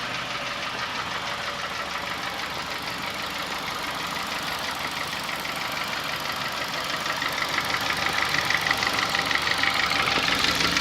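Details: Honda Fit gasoline engine at idle: sharp, even diesel-like ticking knock about three times a second, like an old diesel Kombi or sewing machine, growing louder toward the end; owner says it eases a little once warm; source not pinned down, car sent to workshop.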